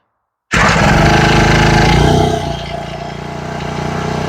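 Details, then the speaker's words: Husqvarna 124L four-stroke trimmer, long sat, full choke and primed: fires on first pull from silence into a strong, even buzz that eases slightly as the choke settles; starts and runs cleanly. "okay even though she started just that easy on the first pull I'm still not a fan of four-stroke weed eaters"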